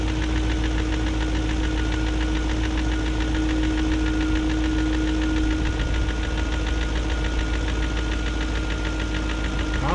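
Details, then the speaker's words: 2001 BMW E38 740i Sport V8 at steady idle, no load change: persistent fast light top-end tick after new timing chain, guides, tensioner and VANOS gaskets; no codes, no smoke; owner suspects failed VANOS unit, unconfirmed. "i guess it's just going to have a tick unless the vanoss unit's gone out"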